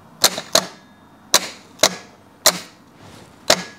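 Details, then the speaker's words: 1998 Porsche Boxster 986 with an Audi V8 swap, starter jumped with a wire: six sharp solenoid clicks with no motor spin. Tapping the starter frees the solenoid, but the starter is seized solid and needs replacing. "donc euh si je le frappe, je peux libérer le solénoïde là-dedans mais ça ne tourne toujours pas c'est euh ouais on dirait que c'est en fait assez verrouillé ici"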